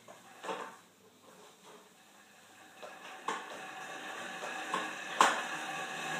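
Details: Horizon M4 exercise bike: uneven light clanks and knocks, roughly one a second, in a quiet room; something loose clanking, cause unclear.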